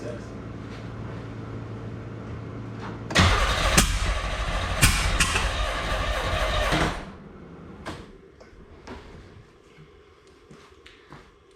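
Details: 1987 Pontiac Fiero GT 2.8L with carb intake possibly from an S10, timing just reset; carb float needle lacks its clip. Several seconds of loud, uneven cranking that never catches into a run. Crank, no start.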